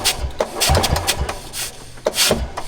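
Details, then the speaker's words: Golf cart small engine after previous head gasket and top-end rebuild: uneven chuffing puffs with each firing stroke over rough running; compression blowing out the side of the head, head gasket leak suspected, head coming off again. "So I don't know if you can hear it, but all the compression's just going out of the side of the head. So I'm going to take the head back off."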